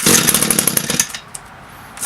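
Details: Echo SRM-225 string trimmer, about a thousand commercial hours, with aftermarket knock-off carburetor, cold engine on half choke: high raspy two-stroke buzz runs about a second, drops out, then catches again; running on half choke.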